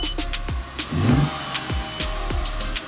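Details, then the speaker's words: 2006 Audi A6 3.2 quattro V6 petrol, after replacing the fuel pressure regulator (previously misfiring, hard starting, not accelerating): engine revs and accelerates smoothly with no misfire, engine still cool; still a hard start and a stored code. "hear that she accelerating good no misfiring the engine is running good"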